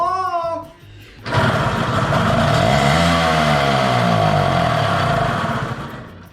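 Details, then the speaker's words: Mini sled motor started without carburetor on a direct fuel charge after intake fix: catches and runs fast and uneven with a loose gravelly rattle, like a bag of gravel; source unclear. "there she goes the motor is running it sounds like a bag of gravel but uh I'm not gonna worry about that"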